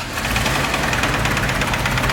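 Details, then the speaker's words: Toyota Supra first start: a loud, fast, even tractor-like clatter over a rough-running engine, an internal knock. A dry valvetrain is possible, and oil pressure is still to be checked with a gauge. "and there we go we have got a tractor boys we got a god dang john deere in this well it sounds like that's not gonna be the motor we use"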